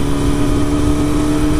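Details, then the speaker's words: Honda CBR954RR motorcycle at idle: loose, tinny metallic rattle over a steady hum; bottom coolant reservoir bolt found missing, reservoir flopping around, reservoir nearly empty. "go in there find the bottom coolant reservoir bolt is missing it's gone so you know reservoir it's kind of flopping around"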